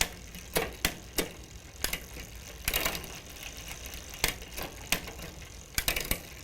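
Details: Huffy bicycle Shimano rear derailleur after further adjustment for cleaner engagement into first gear: crisp single clicks as the chain steps across the sprockets, with light freewheel ticking between. Shifts land cleanly with no rattle or hesitation.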